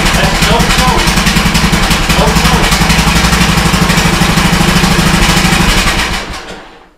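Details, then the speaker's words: Old custom-built Troy-Bilt riding mower, cold start with no choke: catches immediately and settles into a steady, even chugging beat with no misses, then winds down smoothly at shutoff. "So I'm gonna press down on the brake for a key in. And let's see if it fires on the first try. So normally it does."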